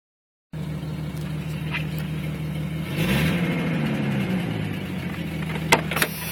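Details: 1996 Jeep Cherokee Sport 4.0 at steady idle with a raspy, puffing edge over the low rumble: exhaust leak from the Y-pipe, which was slightly leaking at purchase and cracked over six months.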